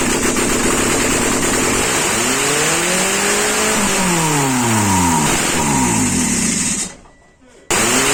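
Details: Mitsubishi Eclipse 2G first start after two years of rebuilding: it fires and runs, revs swing up and ease back smoothly, and the idle wanders slightly, still to be adjusted. Healthy start and idle.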